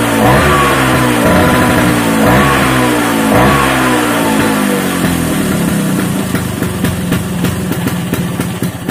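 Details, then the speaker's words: Vespa two-stroke with rebuilt racing gearbox and replaced engine internals, run on the stand: crisp blips falling back smoothly to idle, no grinding or gear whine; stand rattle from missing damper; normal running. "Hai nah seperti itu suaranya untuk suaranya sih halusnya enggak ada Ashar Bagaimana ya layaknya motor habis di belah mesin dalemanya digantiin menurut saya sih halus"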